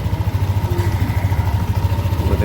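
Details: Yamaha Aerox 155 scooter after fixing sudden stalling, error code 12 (crankshaft position sensor), test-run with radiator not yet refitted: even low putter about eight beats a second, no misses or stumbles; idles smoothly and healthy.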